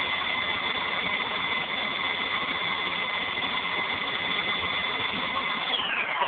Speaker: all right so as you can see it sounds like a plane taking off